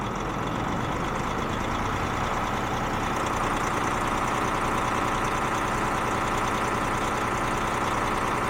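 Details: DAF XF truck diesel, previously a non-starter, started after fuel pressure control valve replacement: steady even clatter with no hunting or stumble, idling smoothly; correction value down about 20%, injectors may still need cleaning or replacement.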